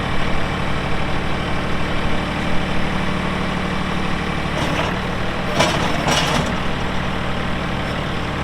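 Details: 2018 Massey Ferguson 2605H 4WD tractor, 310 hours, 8-speed mechanical shuttle, 911X loader: steady deep diesel idle with an even beat and a couple of brief hissing bursts after start-up; engine sounds healthy.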